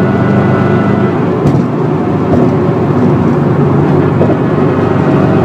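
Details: 2004 Subaru WRX STI at freeway speed: loud constant low drone from a failed wheel bearing that progressively worsened, with rear differential whine on top, amplified by upgraded bushings and mounts; bearings require pressing in.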